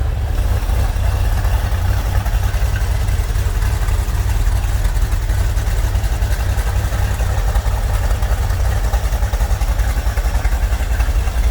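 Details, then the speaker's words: Chevrolet Corvette C3 V8 with Holley carburetor, after idle mixture and ignition timing adjustment: deep, steady, even idle with no misses or knocks; before, it ran on three or four cylinders with misfires and odd noises. "igen, a motor valójában nagyon jól működik, elégedett vagyok a járó motorral"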